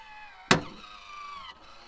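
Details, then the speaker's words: MaxxAir roof vent fan in a van, lid-lift (lowering) mechanism failed with loose metal pieces: sharp crack as the lid moves, then the motor whirs, strains and cuts out. Clicking and jamming from the broken lid-lift mechanism. "i then started to notice um that when you open it everything's fine but then you start to get that noise"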